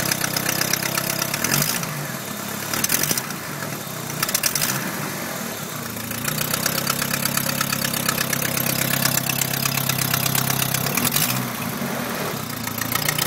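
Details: 2H engine running with a sharp, uneven clatter and puffing tick over the idle; a cracked exhaust manifold leaking.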